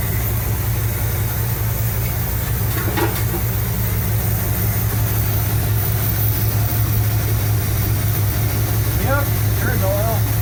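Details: 1975 Cadillac Fleetwood V8 idling about 5 minutes during valve cover gasket replacement, being checked for oil reaching the top end (it does, with slight seepage). Steady, deep, even low throb with no tapping or knocking; normal idle.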